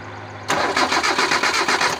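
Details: 1997 Kia engine, not run for 6 months: starter cranks in an even rhythm, about five beats a second, but it never fires. No spark; one ignition coil wire has no power supply.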